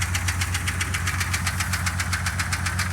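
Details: 2003 Jeep TJ: steady, sharp knock about six times a second over a rough idle; runs but knocks, new engine planned, cause unknown.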